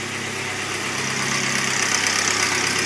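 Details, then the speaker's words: Alfa Romeo Twin Spark, new engine after one heat cycle, valves set to 0.010 in intake and 0.012 in exhaust, new spark plugs: steady idle with light even top-end clatter about four ticks a second, much improved. "still a little clattery but uh sounds a hell of a lot better than what it did before"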